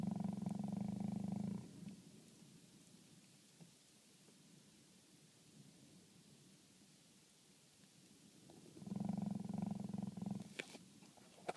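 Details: 2011 Toyota Sienna blower knocks in two short bursts of fast purring knock with near silence between, only in fresh-air mode when the recirculation button is off; cause unknown.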